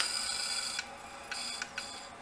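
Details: Opened dead hard drive powered in a caddy: faint high scraping hiss with short raspy scratches over a steady spin whine. A head is rubbing and dragging across the platter.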